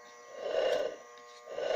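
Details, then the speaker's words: Tanquinho washing machine motor, completely burnt with blackened windings: loud pulsing electrical drone swelling and fading with no spin-up, humming with no torque; burnt motor, needs replacement. "observei pessoa o motor tá roncando muito está completamente queimada"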